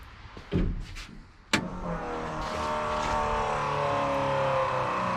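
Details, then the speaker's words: Electric fuel pump on a 440 Dodge Challenger drag car: a click, then a loud groaning hum that climbs in pitch and settles into a steady drone as pressure builds. The pump is noisy and groany, and the fuel line leaks. "and there we go and it leaks and that pump is loud loud and groany so that happened"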